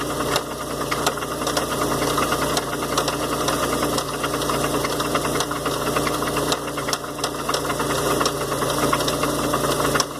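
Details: 1993 Oldsmobile Cutlass Supreme idling with a sharp repetitive knock about one or two a second, seemingly near the pulleys and power steering pulley, checked by stethoscope; owner unsure, wonders about rods.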